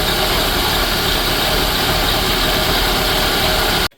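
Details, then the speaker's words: 1983 Dodge Aries K-car wagon, 5-speed, sat 30 years, old gas pumped out, first run: loud, even idle with a steady beat that smoothed out, no misses or knocks until shutoff; normal idle. "Man, she just smoothed out, though. You hear that bad boy? It's pretty good."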